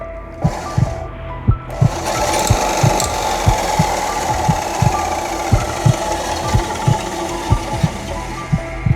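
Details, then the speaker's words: Parkside PBS 350 B2 bandsaw rebuilt from two broken units (straight bolt swapped from spare machine), first test run: heavy uneven thump about once a second under motor whir; blade tension too low, fixed by adding more tension. "Something was making some noise inside. I don't like that noise. Should I have more tension or less tension, guys?"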